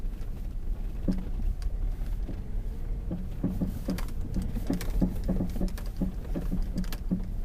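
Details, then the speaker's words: Lada Vesta at 45,000 km rolling slowly over rough ground: dull, irregular knocks from the front right, which the dealer diagnosed as a worn stabilizer link, still under warranty. "теперь по поводу стуков стук с правой стороны то стойка стабилизатора цена ремонта 8 замена стоимость запчасти 800 рублей"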